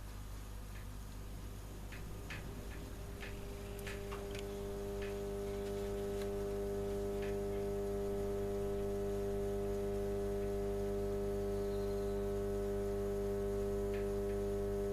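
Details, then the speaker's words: Telefunken Magnetophon 95 West German valve tape recorder (ECC83, bridge rectifier) powering up: steady low buzzy mains hum building as the valves warm, smoothing capacitors past their best; speed control not doing much. "I think first of all, it's pretty obvious that the smoothies have got past the best, especially with that."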